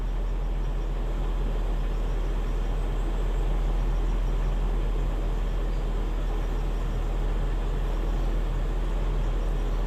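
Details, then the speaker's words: 2000 Toyota Kijang Krista 1.8 EFI just after oil change with Top 1 HP Sport, idling as temperature gauge rises: steady even low idle, smooth hum, no knocks or misses, growing calmer as it warms; normal warm-up idle. "Nih dari suaranya udah agak mulai lebih tenang"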